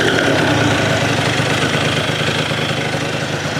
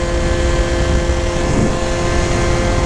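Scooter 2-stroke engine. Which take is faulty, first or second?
second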